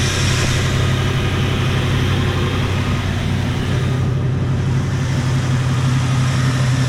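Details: 1977 Jeep Cherokee Chief V8, warm at 195 degrees: a deep, lumpy, loping idle. Rough idle and misfire from weak spark and possibly fouled spark plugs.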